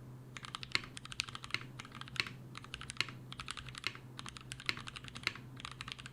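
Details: Mechanical keyboard switches lubed with a T2+T3 mix of Brazilian laser-printer fuser film sleeve grease, tested as a Krytox replacement; bursts of soft, even keystrokes with muted clacks, no scratch or ping, smooth and consistent.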